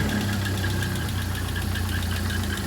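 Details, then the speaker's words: Model A Ford idling after rebuild; low steady idle with a faint pulsing squeak keeping time with the engine, from the fan belt driving the generator; fan belt noise. "now that sound you hear is the fan belt I got oh just the fan belt the generator"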